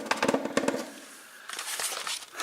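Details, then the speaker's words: Moped body panel shaken by hand: quick burst of light plastic clatter; panel unhooked and loose with play on hard plastic nibs over a metal frame tab, where rubber nipples would prevent it. "es bzw. es klappert. Und solche Geräusche dürfen natürlich nicht sein."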